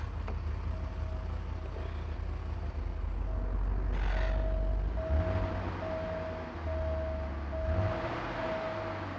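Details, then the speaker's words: 1985 Porsche 928 V8 idling after replacing cracked, oily parts believed to be a culprit: low steady idle rumble, pedal blipped twice with clean rises and smooth settling back; normal idle and throttle response. "so you can hear she's just idling fine now let me hit the pedal a couple of times"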